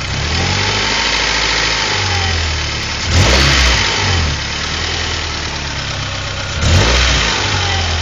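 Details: A Honda Prelude H23A1 engine has a dull knock under the idle that follows the revs up and down. The knock is suspected but not confirmed to be a wrist pin (piston pin) knock.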